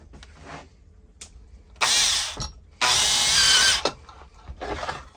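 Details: Makita DDA351 cordless angle drill after repair, drilling wood with a 10 mm bit: smooth, even high whine in clean bursts, no rattle or grinding; the earlier awful gear noise is gone and the gearbox sounds healthy.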